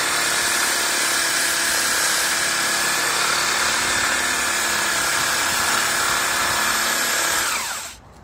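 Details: DIY drill-driven wood lathe with headstock chuck and tailstock center, screws tightened, sanding a picket: a constant high motor whine with a soft sanding rub, speed steady until it winds down, running normally.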